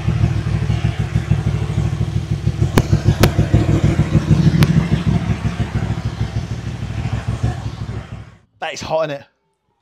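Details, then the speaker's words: Motorcycle V-twin that had overheated, idling warmed up and hot after its dirt-seized cooling fan was cleaned and lubed: a lumpy, loping idle with a steady low thump around three beats a second and no knocks or rattles. Appears fixed, durability unknown. "So, we seem to have fixed it. How long it lasts, I don't know."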